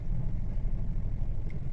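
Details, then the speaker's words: Hyundai Elantra with P0302 cylinder 2 misfire code, at idle with cylinder 3 injector unplugged in a cut-out test: low lumpy idle throbbing unevenly, RPM drops, showing cylinder 3 injector works properly; injector swap planned to confirm. "मतलब तीन number का भी injector इसका proper कम कर रहा है"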